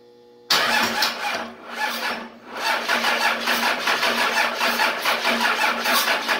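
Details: 24V Cummins standalone-wired for a Dodge delete swap, first ever start after cracking number one injector and cycling the pump: quiet, sudden catch, ragged surging run settling into quick regular pulsing; hard start that needed some ether.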